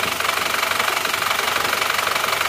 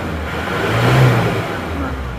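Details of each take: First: Isuzu Panther pickup diesel before repair, cold at 47°C, oil level dropping: harsh clattery idle with rough knock about three times a second, smoke from dipstick and oil filler; pure compression blow-by from worn, stuck piston rings. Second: Isuzu Panther diesel pickup after repair for blow-by, injection timing advanced from too retarded, which had caused white smoke when revved, about 60 degrees: clatter climbs smoothly with throttle and settles back, no smoke; normal revving.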